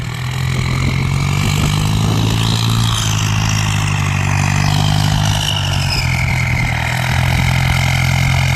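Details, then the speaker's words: Ford 5000 (68) turbo diesel tractor, a used former dozer unit, pushing soil with a front blade. Heavy diesel pulling hard with a piercing turbo whistle shifting in pitch; strong power compared with non-turbo tractors. Healthy under load. "ดีกำลังดีนะมีเทอร์โบแล้วแรงอ่ะคนละเรื่องกับรถไม่มีเทอร์โบเลย"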